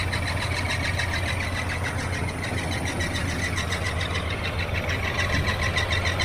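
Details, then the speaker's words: 1981 Chevrolet Silverado, neglected project truck, engine idling: sharp chirping belt squawk about three times a second from a wobbling pulley throwing the belt off line; harmonic balancer seen wobbling, AC compressor or alternator suspected, alternator belt removed first; timing also off. "if you go all here it sounds like the alternator so I'm going to take the alternator belt off first"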